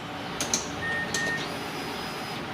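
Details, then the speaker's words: Mazda CX-7 (2006–2012 generation) with a no-crank, no-start complaint: a few sharp clicks as the key turns on, then a faint high whine from under the rear seats as the fuel pump primes normally; the starter fuse is suspected. "ok and we'll be able to hear the fuel pump guys buzzing when we turn the key on and off so you're going to be able to hear under the rear wheel seats um with the pump building listen now"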